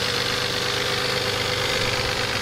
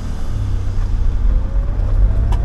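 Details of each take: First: Used, neglected Toyota 3.4L 5VZ V6 in a 1996 4Runner after head gasket reseal, at full running temperature: steady idle with dense diesel-like clatter from one side, only when hot, no smoke, revs fine; cause unconfirmed. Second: 1996 Toyota 4Runner with a used, neglected 5VZ 3.4L V6 after head gaskets and reseal, driving away; steady low drone, no ticking, knocking or whine, engine smooth.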